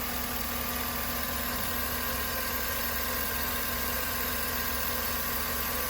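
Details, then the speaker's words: 2013 Chevrolet Suburban after repairing lifter noise caused by oil pressure loss, warmed to mid temperature: steady, even idle with a smooth hum and no tapping or ticking; oil pressure normal, valvetrain running quietly. "ya nuestro ruido la presión de aceite pues la instalan normal ahorita ya después de la temperatura hasta la mitad es sólo normal"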